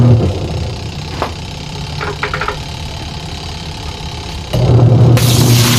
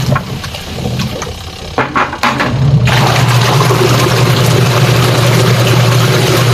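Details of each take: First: Sharp single-tub washing machine before repair, runs fine empty but struggles with water: even motor hum, then a harsh gravelly roar like grinding stones as the tub takes load; more water and it can't turn, gearbox grinding. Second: Sharp single-tub washing machine after repair that fixed a stony grinding with water: steady low motor hum under swirling water, no rattling or stony grinding from below; wash drive sounds healthy.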